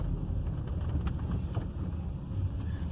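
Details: Audi A3 driven over bumps, heard from inside the car after a stripped front bolt was replaced with a new nut and lock nut: only road and wind rumble, with no metal-on-metal knocks. The front end is now quiet.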